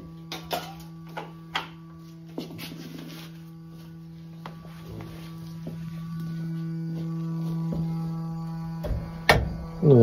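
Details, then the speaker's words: Steady low hum with faint buzz from the gas pressure regulator on a running, newly installed Williamson gas-fired steam boiler; utility advised to be called about the noisy regulator. "régulateur fait du bruit tu voudras peut-être appeler euh con ed parce que ça va te poser un problème à l'avenir le régulateur fait du bruit"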